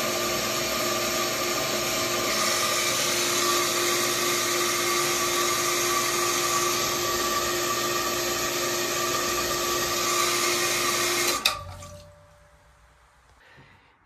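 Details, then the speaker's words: Jet water pump being primed, valve cracked open slightly while pressure builds; steady electric motor hum with high whine, note changing as pump starts drawing water. Normal priming. "listen for that motor you'll hear you'll you'll be able to hear a difference in the pump when it starts to draw in [Pump Sound] water"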